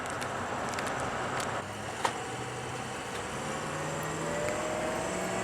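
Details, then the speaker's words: Test drive of diesel truck after engine repair (piston replaced, O-ringed heads, ARP head studs) while finishing the coolant system; quiet, even road drone with no knocks, ticks or rattles, running normally. "since uh got the truck all fixed up test driving again finishing on the coolant system"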